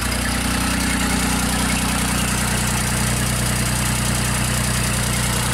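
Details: JLG 260MRT scissor lift, new starter fitted, starts but dies within about 10 seconds: engine holds a steady idle at about two beats a second with no stumble; intermittent stalling, possibly bad connection, cause unclear.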